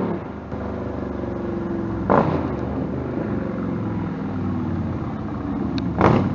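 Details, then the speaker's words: Stryker V-twin on a warm-engine road ride after new header gaskets fixed leaking headers (about 11,000 miles): even drone rising smoothly with throttle over wind rush, no popping, backfire or surging; power feels linear. Normal exhaust note under way. "for what I heard I'm pretty deaf already it doesn't sound like there was a lot of like like backfire on the bike"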